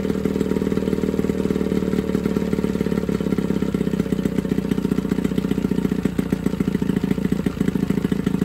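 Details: Johnson 9.9 two-stroke outboard (kicker motor) after a carb kit rebuild and new plugs gapped to spec: steady, even putter with a constant low rumble, no misses or knocks, pretty quiet; healthy normal idle.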